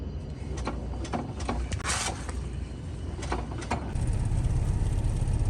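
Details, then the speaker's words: Honda Civic Si with broken transmission: sharp, uneven heavy clunks over a low engine rumble, sounding like rod knock but owner says it comes from the transmission, despite fresh fluid; unconfirmed. "it's not rod knock obviously it sounds like rod knock but it's coming from the transmission"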